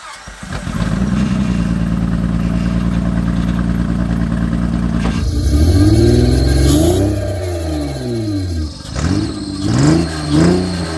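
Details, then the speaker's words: 2006 Honda Pilot after fuel pump and clogged fuel filter work, intake left open at the throttle body: steady idle runs much better at low rpm, but each rev brings uneven, wavering, shaky blips; rough running when revved. "it's running a hell of a lot better well at low rpm when you rev it it's really shaky"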